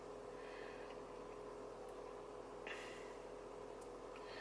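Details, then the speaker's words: 2002 Range Rover L322 4.4 V8, engine running: air suspension compressor pump whirrs steadily with a faint fixed tone, slowing and labouring slightly as the tank nears about 11.3 bar, then shuts off with pressure holding steady; compressor filling normally. "The compressor's shut off, and you can see that the pressure is now holding steady."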